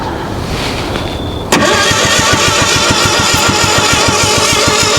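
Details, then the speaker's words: Ford Pinto-engined kit car, sitting outside since 1995, first start attempt on a cold evening: starter churns steadily at three to four beats a second but never catches; ignition coil later found bad and replaced. "That was antilimactic, wasn't it? All right, it's the obviously next day. It's not night time anymore. Uh, I found that the coil was bad."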